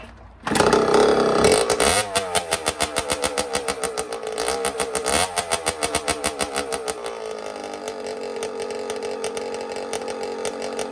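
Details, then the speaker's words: 1982 Suzuki RM60 two-stroke dirt bike after carburetor cleaning and fuel fix, now starting and running without choke (before it only ran on choke): crackly fire-up settling into an even ring-ding beat with clean revs; normal running. "so yeah now i can start it and have it run and dry without choke so let's give her a shot"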